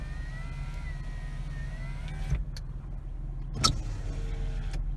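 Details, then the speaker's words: Power window check during used-car inspection: smooth, even motor whine as the glass travels down and back up, ending in a soft clunk at the stop; window motor works normally. "one goes down and up and back driver's side down"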